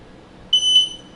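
One short, clear high-pitched beep lasting about a third of a second in a quiet room: the controller confirming a setting change.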